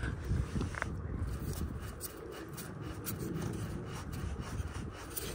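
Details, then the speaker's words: Ford 8.8 LSD rear end from a Crown Victoria, pulled and turned by hand; gritty rubbing from a shot pinion bearing, first heard as a brake-like noise while driving. "it's going while I'm turning so that pinion bearing one of those two pinion bearings is totally shot"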